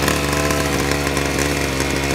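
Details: Ryobi SS30 30cc straight-shaft two-stroke trimmer, after fixing a primer bulb that would not fill with gas: high, buzzy, steady note holding speed without stumbling or surging; the engine runs cleanly after the fix.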